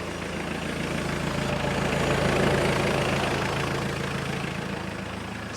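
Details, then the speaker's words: New Holland L175 diesel skid steer restarted after a full service; the fuel pump chugs, then it clears up into a steady, even idle with no misses or knocks, running good, though it may bog briefly on an air pocket. "It'll probably bog down a minute if it catches an air pocket. All right, running good."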